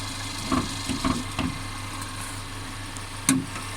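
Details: Mercedes CLA 250 engine, car stutters when accelerating after long slow driving: over a steady idle hum come a few sharp, irregular clacks, then a louder one; intermittent engine clacking, source unclear.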